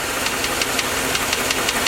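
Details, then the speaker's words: V8 (Suburban) at idle: a sharp, regular knock about five or six times a second. It disappears when the number-five spark plug wire is pulled and returns when it is reconnected. Diagnosed as a worn number-five rod bearing. "again knock's on knock comes back so that is definitely a rod bearing number five the reason that's happening is because when the plug fires the air fuel mixture is creating an explosion on top of the piston and hammering it down like it should when it's working normally anyway"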